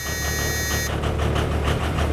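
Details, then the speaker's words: 2002 Thomas Freightliner FS65 school bus, 5.9L Cummins diesel, 155,000 miles, cold start after the intake grid heaters: a high buzz drops out, then it catches and idles low and lumpy with uneven pulses; runs really rough and is given a little throttle. "It's running really rough. There you go, give it a little bit of throttle."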